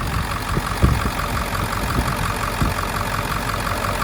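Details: 2000 Ford Excursion 7.3 diesel with almost half a million miles, idling with the hood open during a blow-by check: even steady light clatter, no misses or knocks; oil cap not moving, healthy, a little smoke.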